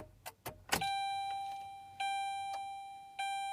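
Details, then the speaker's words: 2007 Saturn Ion, cold start attempt with weak battery, accessories off: chime repeats about once a second, no cranking at all; battery too weak to turn the starter, loose wiring also later suspected. "got enough to beep, but not enough to crank her over. It must really take a hell of a lot of juice to get this thing going."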